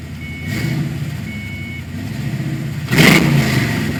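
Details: 1991 Ford Mustang: engine idles with a lumpy, uneven exhaust beat that stumbles, then revs up roughly; misfire.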